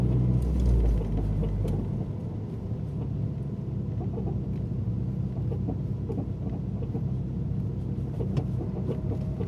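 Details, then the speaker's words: Clicking from the left front wheel (not right) of a 2012 Mazdaspeed3 while driving at low speed, uneven clicks tracking road speed over road rumble; owner suspects left front axle, forum suggests front link bushings. "so let me just drive around for a little bit you can hear that clicking clicking noise like"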